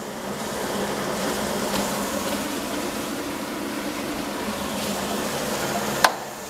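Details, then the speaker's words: Presto pressure cooker cooking ketupat on gas, flame turned down then raised slightly, about 15 minutes in: steady, even steam hiss with soft low hum, weight needn't spin or rock, meaning pressure and temperature are sufficient. Normal steady steam venting. "Oke masih terdengar ya bunyinya itu ya jadi kayak gini udah cukup nggak terlalu kecil dan nggak terlalu besar nggak harus sampai muter-muter sampai goyang-goyang ya kalau uapnya sudah keluar seperti ini berarti tekanan dan suhu di dalamnya itu udah cukup"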